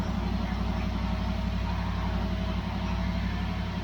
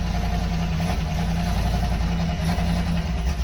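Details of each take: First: 1973 Dodge LA 318 V8 on an engine run stand, first start after sitting about 10 years, fuel pump now pulling fuel. Steady even burble with no knocks or misses, good oil pressure and a little burn-off: a healthy idle. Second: 1973 Dodge 318 LA V8 at first start after sitting about 10 years, on a run stand, with 50–60 psi oil pressure: a deep, steady idle with a light, quick tick riding faintly on top. A lifter tick is suspected, not confirmed.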